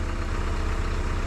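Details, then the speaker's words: Isuzu diesel truck at auction lot, just started, idling before warm-up: deep, even diesel rumble with steady low-pitched pulses, no knocks or misses; sounds good and smooth, healthy idle. "Sounds good, smooth."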